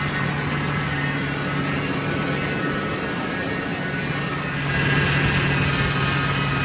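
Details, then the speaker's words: Totaled 2006 Ford F-350 V10, about 5,800 original miles, just after first start following rebuild: steady even hum, smooth firing, idling slightly high but settling, no knocks or ticks, coolant temperature fine, quiet; normal idle. "Water's still fine. I just don't want that tight yet. It's quiet."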